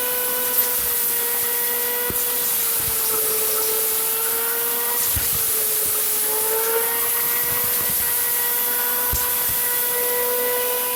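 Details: Farmer IZE-05 electric grain grinder crushing corn fed in a thin stream: steady motor whine with slight pitch sags under load, grinding without stalling; corn otherwise tends to stop feeding. Normal grinding.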